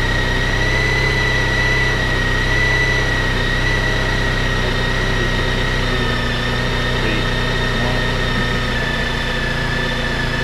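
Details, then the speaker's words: Honda ST1300 on stock exhaust, still cold, idling at about 2000 RPM: smooth, even idle with a steady high note, revs easing down gradually as it warms, no knocks or misses; normal. "As you can probably hear, it's still a bit cold, so it's revving a bit high. So this is running at about 2000 RPM."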